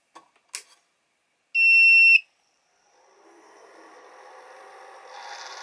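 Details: Stock 40mm cooling fan in a Sans Digital MobileRAID MR2UT+B enclosure at startup, after cleaning; a few clicks, a half-second beep, then the small fan spins up into a rising high-pitched hiss, noisy, before replacement with a Noctua NF-A4x10 FLX.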